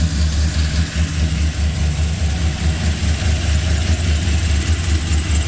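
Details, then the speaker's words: Freshly rebuilt truck engine (long-tube headers, cold air intake, Truck Norris cam, DOD and cat delete), not yet tuned, with oil pressure confirmed: deep, even idle pulse about twice a second with no tapping or misses; normal idle. "sounds good definitely got to have it tuned but it's running got oil pressure"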